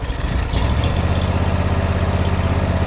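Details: Brand-new John Deere zero-turn mower with 54-inch deck, throttle at minimum (no throttle or choke controls): low, even putter with a steady pulse and no misses or knocks; healthy normal idle.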